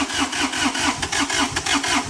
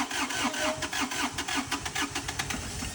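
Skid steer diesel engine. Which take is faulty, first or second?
first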